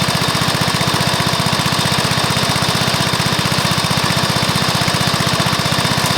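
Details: Early-1984 Briggs & Stratton mower engine, first start after new piston, rings and valves to cure oil consumption from loose rings and worn valves: fast, even single-cylinder beat, about four pulses a second, no knocks or misses; normal running.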